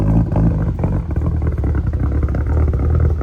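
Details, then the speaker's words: Mitsubishi Evo 4, untuned and still needing an O2 sensor fitted, revving rough with an uneven, lumpy note and irregular surges. "Well, got the Evo 4 running. Run a little rough. Still got to tune it, but we got to get an O2 sensor in it."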